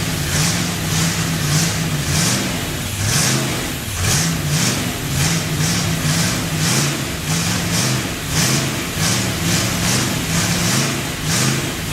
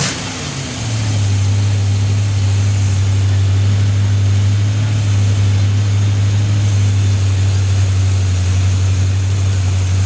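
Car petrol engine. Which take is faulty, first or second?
first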